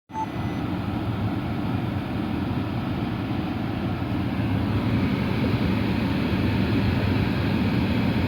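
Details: Porsche Cayenne climate control after replacing the air conditioning flap servo motor: steady even blower air rush with no clicking or knocking, repair completed.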